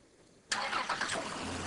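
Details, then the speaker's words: Chrysler engine with a misfire traced to a cylinder whose recessed spark plug showed rust and water, after replacing the spark plug: quick crank catches at once into smooth even idle, misfire gone; normal start. "we're gonna replace the spark plug in this engine now that we replace the plug let's prank the engine"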